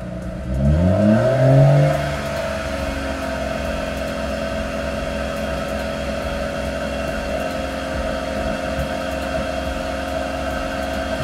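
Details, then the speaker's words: 2017 BMW M140 B58, stage 2 map, after heat exchanger install during coolant bleed: held at 2500–3000 rpm for 10 seconds then released, repeated; quick rev climbs smoothly and falls back to a steady, even idle. "this is now where you have to hold down the accelerator for until it gets to about 3,000 RPM between 25 and 3,000 an RPM for 10 seconds Let It Go for 30 seconds and you need to do this about 10 times to get rid of all the air out of the"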